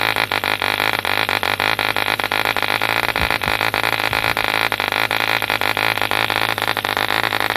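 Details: 1948 E.D. Mark II Competition Special, a long-stroke model diesel engine made in England, first start after a rebuild from two incomplete examples: a high, steady buzzing run with an even crackling beat and no misses, running cleanly.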